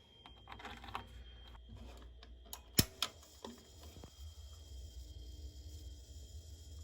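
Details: Gas water heater after supply line replacement, lighting the pilot with control set to pilot: a couple of sharp dry snaps around three seconds over a quiet room as the piezo igniter clicks.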